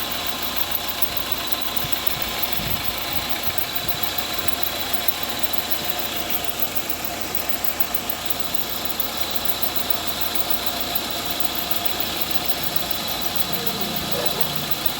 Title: Hissing sound in engine due to belt problem